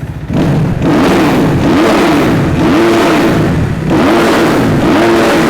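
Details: 2014 Kawasaki KX250F with new FMF Mega Bomb header and Q4 exhaust, baffle out: sharp repeated blips rising and falling with a crisp, loud bark; picks up and drops back cleanly, normal revving.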